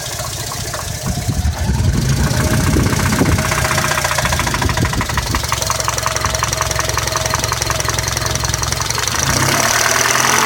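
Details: 1998 Honda Civic LX 1.6L at idle: quick, even ticking about three per second over steady idle, keeping pace with engine speed; source unknown.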